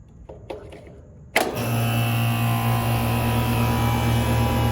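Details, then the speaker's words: Rheem condenser after replacing faulty fan motor, run capacitor found dead, powered up: click then smooth even hum and whoosh, no rubbing or rattle; fan spinning normally. "yes she's spinning all right cool"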